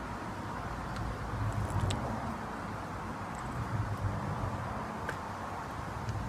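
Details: Worn early-1960s Suffolk 75cc lawnmower engine on its first start attempt: small single-cylinder chugging unevenly with a loose, irregular beat and faint ticks, running rough; owner wonders how long the worn inlet valve will last.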